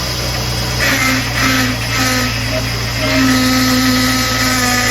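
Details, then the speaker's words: 2004 Jeep Liberty after high-pressure power steering hose replacement, engine running while wheel is turned lock to lock to bleed: loud groaning whine swelling and shifting; air in power steering system, fluid topped to brim. "if you guys don't know what it sounds like to have no food in your power steering you're going to hear what it sounds like cuz we have to Bleed It Anyway"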